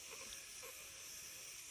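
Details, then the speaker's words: 2011 Kia Sorento 2.4 with code P0456: evap system pressurized to 1 psi with vent line capped, giving a steady faint high-pitched air hiss from a small crack in the fuel tank pump head, too small to show smoke; replacing the fuel head fixed the leak. "you can hear, I don't know if the phone can hear that, you can hear air hissing right here."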